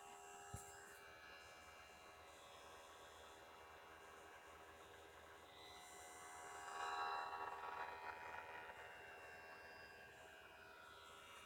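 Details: New PS4 Destiny bundle, out of the box, with the Destiny disc inserted: steady high disc-drive whine swelling into a louder whirring rush, sharp click near the end.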